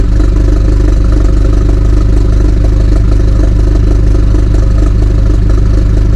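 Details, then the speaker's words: 2018 BMW 430i Gran Coupe (F36), B48 four-cylinder with mods, at cold-start idle: steady, slightly lumpy, deep, even exhaust drone with a tractor-like sound and no knocks or ticks. Sounds healthy and normal. "so yeah man that's what she sounds like in a cold start um it's not crazy but she sounds good bro like for real for four banger she sounds good she got that little tractor sound kind of his little I call it the little tractor sound whatever it's called"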